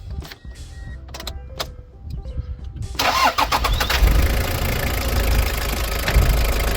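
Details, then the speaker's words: Toyota Hiace KZH100 diesel, 2WD, after fuel filter replacement and hand-priming: a few clicks, then catches at once and settles into steady, even idle without stumbling; starts and runs great. "Starts right on up and runs great."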